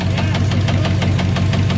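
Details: Truck warm, revved hard: sharp tapping knock over the rumble, intermittent, absent in drive and reverse; torque converter bolts checked tight; suspected bottom-end knock, engine rebuild expected, cause unconfirmed.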